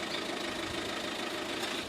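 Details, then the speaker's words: 2007 Renault Megane 1.9 dCi diesel automatic, neglected for years and brought back to life, showing its engine. Steady, dense, truck-like clatter that is a bit loud but regular, with no missing beats or odd knocks: normal diesel sound. "I drive a diesel. Sounds like a truck."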